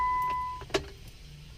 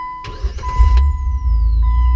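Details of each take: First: Jeep with a delayed-start and no-crank problem: warning chime, one dull click when the key turns, then silence with no cranking; failing starter motor. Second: Jeep after new starter and new ground fitted: brief quick crank that catches at once and settles into smooth steady idle, no hesitation; normal cranking and start after starter replacement.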